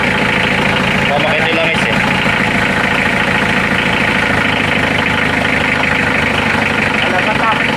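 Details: Mitsubishi L300 4D56 diesel clattering at an even idle with a steady rhythmic knock, no misfire or stumble, after a no-start caused by a failed fuel shutoff solenoid that had power but would not engage; runs fine.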